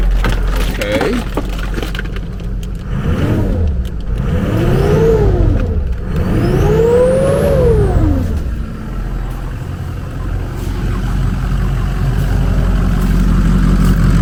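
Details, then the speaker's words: 2003 Ford Excursion 6.0 Powerstroke diesel, first start after sitting two to three years: it revs up cleanly and drops back to a steady idle twice, with no knocks or misses; it sounds healthy. "Sounds pretty good. She sounds pretty good, guys."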